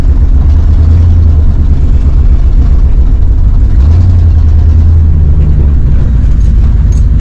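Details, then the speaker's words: Plow truck in a snowstorm, still running rough after a vacuum hose was replaced: a heavy low rumble with an uneven, wavering beat. Owner suspects fuel starvation and plans to test the in-tank electric fuel pump. "well that still ain't running good enough something's wrong yet I still think fuel starvation is the problem"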